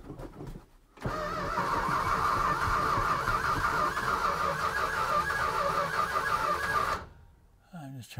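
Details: 1969 Plymouth Barracuda 440 V8 drag car: starter cranks evenly about three turns a second for several seconds but it never fires; it isn't drawing fuel through the supply hose.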